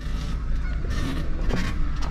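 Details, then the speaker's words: Car on a lift with the A/C off, suspension squeaking loudly with repeated honk-like squeaks as the body rises over a low hum; inaudible inside the car with windows closed. "Вот, заскрипел прям. Поднялся. Все. О, как скрипит."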